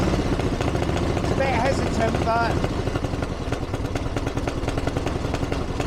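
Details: 1982 Harley-Davidson Ironhead Sportster after two years of tinkering, started on choke with timing reset; steady, even loping V-twin beat at idle, no misses, knocks or rattles. Healthy, though owner feels it's slightly lean under acceleration and needs further tuning.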